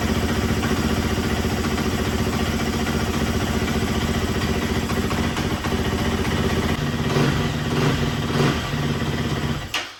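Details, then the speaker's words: Motorcycle that sat for years, restarted on fresh premium gas without choke; steady running with crisp throttle blips, revs picking up and dropping cleanly, amazing throttle response before an oil change. "Wow, the throttle response is amazing. I'm literally like... Vroom, vroom."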